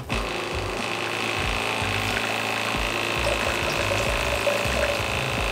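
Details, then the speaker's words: Geyser Systems portable off-grid hot shower, valve cranked fully open; the small enclosed pump gives a busy buzzing whir with loose chattering, about three pulses a second, over a lot of warm running water, noisy but normal. "as you can see ton of water coming out of here feels really good it's nice and warm right now the pump is a little bit noisy but that is kind of to be expected it's just contained in the small unit"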